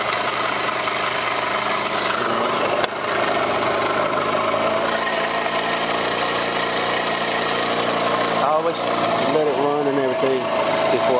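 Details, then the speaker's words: Moped with newly installed radio, just started easily and warming up: small single-cylinder engine holds steady even buzzing idle, no knocks or misses; smokes a little, owner thinks oil change needed; normal idle. "And it started up pretty easy, so I just have to let it warm up again."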